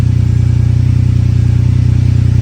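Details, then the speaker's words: Ferrari 456 V12, cold start, previously cleaned fouled spark plugs before new ones fitted: lumpy, uneven low idle pulse with dropped beats and slight vibration; random misfire codes on cylinders 12 and 7. "I am feeling kind of like at least a couple cylinders are not too happy. All right, first thing I'm going to do is check the engine codes. All right, random misfire, cylinder 12, cylinder 7."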